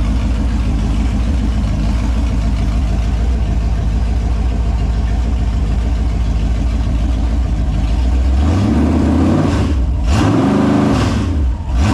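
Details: Holden 253 V8 on a bench test stand after rebuild (new bearings, honed bores, rings, Yella Terra heads, timing chain, gaskets), on petrol: steady, even idle rumble, then clean blips rising and falling without misfire or knock, no leaks; normal idle and revs.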